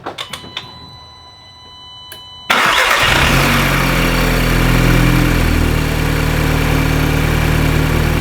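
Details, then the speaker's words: MK2 Audi TTS direct-injected engine after intake carbon (walnut) cleaning. Restarted after a random misfire fault was cleared, to warm up and relearn. Short crank, then it catches and settles into a smooth, even idle: normal. "And there you go. Listen to that kitty purr."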